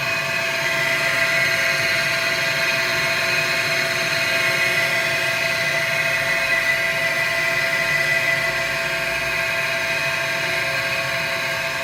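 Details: Takagi TK-Jr water heater combustion blower fan makes a loud, steady, high-pitched whir and keeps running about 45 seconds after hot water stops; the fan was broken, and a warranty replacement fan solved it.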